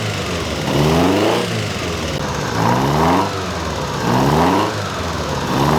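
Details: Ferrari 308 GTS fully rebuilt V8 after first start in about four years, warming the heads to heat the head gaskets: even idle with gentle throttle blips rising and settling cleanly. Normal warm-up idle.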